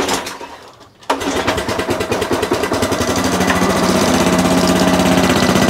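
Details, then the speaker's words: Sovereign lawnmower after pull start, oil level correct: steady, fairly slow chugging that never climbs, well short of full revs; owner soaks it with WD-40. "well as you can hear it's not revving nowhere near as high as it should be"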